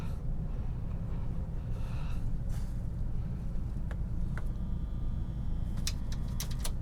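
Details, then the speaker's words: Marantz 2240 receiver powered up on a current limiter with antenna and speakers connected: a low steady buzz with a few clicks at switch-on. Suspected protect relay trying but failing to engage. "oh that didn't sound good hmm that sounded like i heard a buzzing but it sounded almost like the relay trying to come in but not able to come in"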